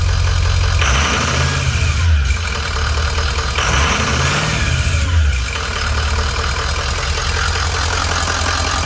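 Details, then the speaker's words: 2005 Ford E450 with 6.0L Power Stroke turbo diesel, 152,318 miles: starts good, idles really smooth with good oil pressure; steady diesel clatter at a high steady idle with a gentle slow swell and no misses, normal high idle. "Starts good, she idles really smooth. Got good oil pressure, high steady idle."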